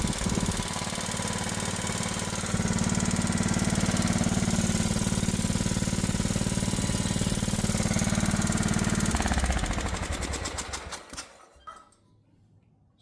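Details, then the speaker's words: Old Craftsman riding mower, unknown history: after backing out the idle screw it still runs at a high, steady idle with fast, regular light tapping (3–4 per second), then winds down; possible valve tick, valves and governor to be checked. "still running pretty high. Sounds like there's some tapping or something in there."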